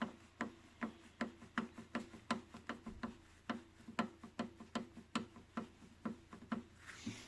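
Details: Mercedes Vito 639 with a knock felt through the steering wheel over potholes, steering shaft held in a vise: sharp metallic clicks about two or three a second as the worn steering universal joint is rocked by hand; joint replaced.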